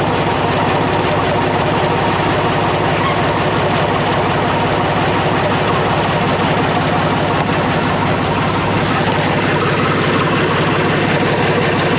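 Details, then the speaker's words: International 484 tractor, D-179 three-cylinder diesel, idling with valve cover off just after valve lash adjustment: loud, even diesel clatter at steady speed, no stray tapping; healthy idle, better than before. "all right guys sounds good and sounds a lot better than it did before uh adjusted those valves"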